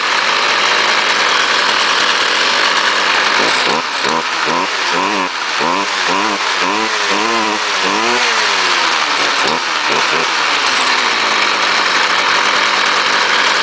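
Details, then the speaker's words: Cold start on choke of a 2009 Stihl FS38 trimmer, 27cc; throttle must be held, and owner says it backfires a lot but is dependable. High buzz rises and falls with throttle blips, picking up cleanly: normal running. "Oh, like a true still. I even have to hold the throttle. Oh, it's been so dependable. Backfires a lot though."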